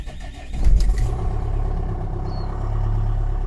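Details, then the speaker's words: LDV V80 diesel after a new 2.5 kW starter motor was installed: the glow plugs cycle, then a brief crank catches within a couple of seconds and settles into a steady idle. Before, it took five to 12 seconds to start. Hard-starting fixed. "so basically a couple of seconds and it actually started so big difference massive difference"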